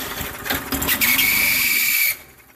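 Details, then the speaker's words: Free Murray lawn mower, cold start: shrill high-pitched screech over the small engine for about a second; screeching noise, owner suspects blades scraping something, not confirmed. "sounds like it's scratching something so i'm going to take a look at it and see if it's uh the moral blades touching something shouldn't be which i bet you it is"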